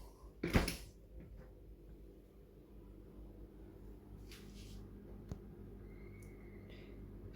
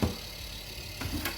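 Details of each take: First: Fridge after its noisy fan was fixed and reinstalled: a quiet, steady low hum with a few handling bumps, nearly silent compared to the noise before. Normal fan operation. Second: Fridge freezer: the fan blades strike a block of built-up ice, giving a steady low whirr with rough scraping knocks; the fix is chipping out the ice.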